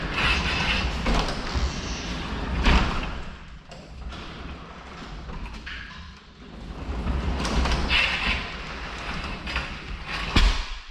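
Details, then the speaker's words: Garage door after tightening the bolts, track already lubed: rough metal-on-metal scraping and thumping as the door travels, ongoing for about a month. Something rubs the track; motor may need shimming or moving, with a professional check planned. "this track has been lubed up and it's still not working thing that it basically just sounds like metal on metal scratching"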